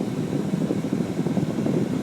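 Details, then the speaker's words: 2001 Dodge Ram 1500 with manual controls, engine running, after replacing the old A/C blower motor with an aftermarket one (before this the fan was sluggish on all speeds): a strong steady rush of air and an even fan whir with no wobble or squeal. The blower runs healthy on high. "hear the high blowing finally blows high before it was working real sluggish like at high speed it seemed like it was on very low"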